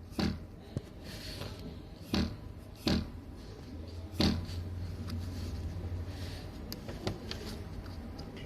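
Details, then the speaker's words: Car idling: irregular hollow knocks over low hum, first taken for plastic interior rattle, traced to the two fuel filter lines striking the fuel tank, a design issue. "然是这2根管子打的油箱响，这真的是太不给我面子了，真的。我是无论如何都没有想到这个玩意它会响。"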